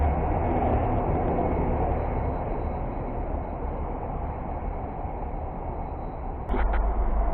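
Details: Mercedes-Benz diesel bus that would not start (door sensor safety lockout, immobilizer codes): a low, even rumble holding steady with no knocks or misses, idling normally.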